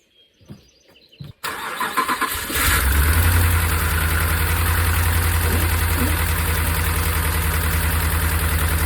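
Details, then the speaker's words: Hemi V8 cranks, catches and settles to idle with steady rapid ticking, not normal lifter noise; MDS solenoid code on cylinder 4 suspected, later traced to worn camshaft and lifters. "and there we go not a normal lifter noise so let's go take a look at that"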